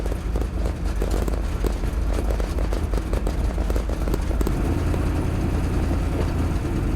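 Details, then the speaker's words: Turbocharged drag car, in-car: hard choppy revving, then after shifting into high gear the note goes flat instead of climbing; loss of power, doesn't pull through high gear. "you'll hear the engine it clicks into high gear and the engine kind of flattens out if you will it doesn't pull through high gear"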